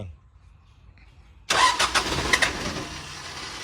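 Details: Isuzu NKR 110 hp six-wheel truck, year 33, original and unwashed, engine described as good: after a quiet lead-in the diesel catches sharply, rattles up through a few quick blips, then settles into a steady even idle; normal start.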